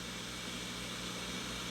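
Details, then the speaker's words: Sears Silvertone Twin Twelve 1484 tube amp, amplifier off and no tube in the socket, tracer probe on a cathode resistor: constant ocean-like rushing hiss over low hum; a noisy out-of-spec resistor, to be replaced. "I'm gonna put up to the other resistor now here that sounds like the ocean it's no tube in the socket nothing you just talking about two resistors"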